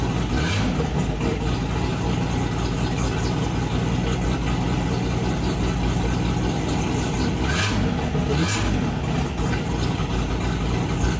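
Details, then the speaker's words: Holden 202 six in a UC Torana build, first startup after fixing oil pressure problems, fresh run-in oil; runs straight out the extractors with no exhaust, loud loping idle, steady with no knocks, fires up and runs nicely. "so there we go guys I think we're over a few of the hurdles never know in building old cars and playing around um but she fires up quite nicely uh runs quite nicely"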